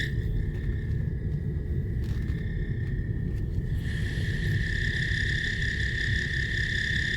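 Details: 2015 Toyota Alphard: thin, steady high-pitched cricket-like whistle over low engine rumble, heard into the cabin and louder partway through; being located with a stethoscope underneath, source not yet found.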